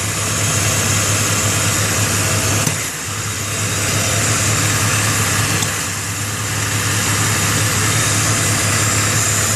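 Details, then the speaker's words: Jeep XJ idling without air filter: constant airy vacuum-leak hiss; throttle body carbon buildup, intake soaked with power steering fluid; leak traced to underside of a sensor component. "you can still hear that hiss coming from around here somewhere"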